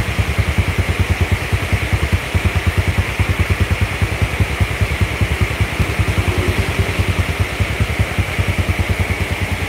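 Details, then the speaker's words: Yamaha Jupiter Z engine fully rebuilt after a crash into a truck, battery not yet fitted, rain hiss on the roof behind it: quick, even exhaust pulses at idle; it ticks over smoothly and steadily and sounds healthy. "suara hujan ya bos Di atas pakai galvalum soalnya ini suara mesinnya Bos kayak baru keluar dari dealer"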